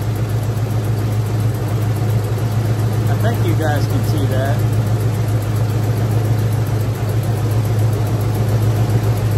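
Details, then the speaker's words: 1996 Ford F150 after new spark plugs, plug wires, rotor and distributor cap: low, lumpy idle with an uneven beat about twice a second, engine still vibrating and shaking; misfire not cured by the tune-up, cause unknown. "here the way that motor still vibrating and shaking around I'd say we still got a problem"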